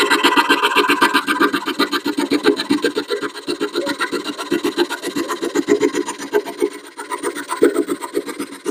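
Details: 1941 Craftsman jig saw after teardown, re-tightening and refilling with oil: brisk, even rasping strokes about four per second as the blade cuts wood, no grinding or clatter from the drive; a lot smoother than before, healthy.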